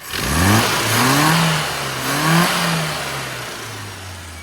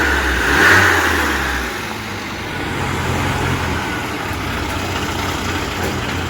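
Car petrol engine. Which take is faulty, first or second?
second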